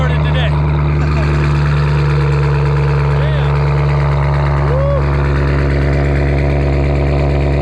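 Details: Newly acquired vehicle, heard running for the first time: loud, deep, steady idle drone with an even low hum, no tapping or misfire; normal idle through a loud exhaust.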